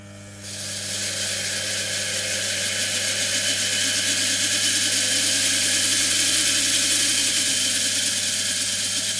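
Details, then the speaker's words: Washing machine universal motor, rotor and stator wired in series, fed through an SCR speed controller with power raised: a loud, high hissing whir as the motor spins up and holds at high speed. "you can't really see how fast this is spinning because it is basically spinning too fast but I hope you can hear from the sound this motor makes that"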